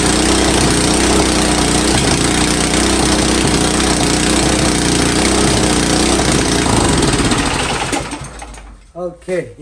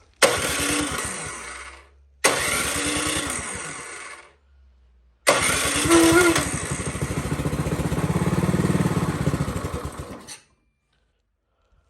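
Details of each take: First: Powersmart snow blower that wouldn't start, after ultrasonic carburetor cleaning: small engine runs loud and steady with an even beat for about eight seconds, then winds down; running normally. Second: Powersmart snow blower that won't start, before ultrasonic carburetor cleaning: three starter bursts, each a steady chug about four beats a second dying away without firing; cranks but won't start. Cause suspected, not confirmed.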